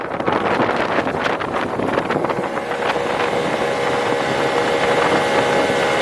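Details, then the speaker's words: 1996 Tohatsu M40D 40hp 2-stroke outboard after worn fuel pump repaired, at full throttle: steady high buzzing note without surging or dropping off, over wind; now holds full speed, healthy. "Well, it seems to be running just fine. Let's pin it and see how we do at full speed."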